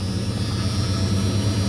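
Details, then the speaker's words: Truck, V8 per the clip, with about 135,372 miles, cold-weather start: clean start, then a deep, steady, even idle with no knocks or stumbles. "real quick turn that up you got buzzers is always a good thing and start up oh not even an issue in the slightest"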